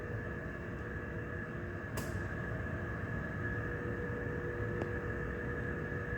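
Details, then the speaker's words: Datex Ohmeda Carestation anaesthetic machine during its self-check, after O2 flow control passed: steady, even hum with a constant mid-high tone from inside the machine, no surges; airflow control check running normally, passed. "The O2 flow control is okay. Now checking the airflow control. Which you can hear."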